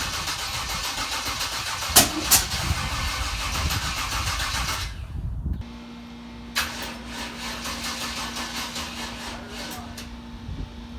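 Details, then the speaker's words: Dad's carbureted car: uneven cranking, then sharp loud pops before it catches into a rough idle; backfire while starting, so hard it knocked cans over; owner suspects timing 180 out. "so so that last backfire that you heard in the car it was so hard it knocked over a stack of cans i had in my toolbox"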